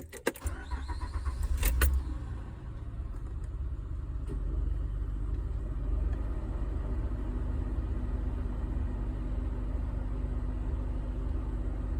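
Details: 2007 Honda Ridgeline V6 cold first start: cranks, catches and settles into a low, uneven idle that stumbles and misfires, rough only when cold, with a VTM4 light.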